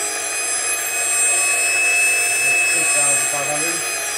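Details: Porsche 924S EV conversion drive motor at about 6,000–8,000 rpm, first time this high, transmission run without axles; clean, steady high-pitched whine, no rattle or knocking, only possible slight vibration, not the earlier noise. Normal high-speed whine.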